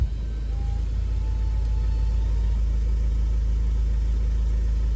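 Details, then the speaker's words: Audi engine at idle with the injector-related shaking and tapping gone, leaving a steady, deep, even idle with no ticking, and no trouble codes are stored. Normal idle. "No more tac. Right, so let's connect now the scanner, just to make sure there's no codes, nothing."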